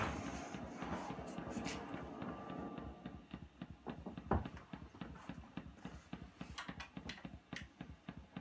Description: Trying to get rid of the ticking in a #Fender #Superreverb #tremolo - originally a 1975 Silverface that has been blackfaced.